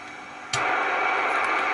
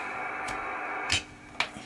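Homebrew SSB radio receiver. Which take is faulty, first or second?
second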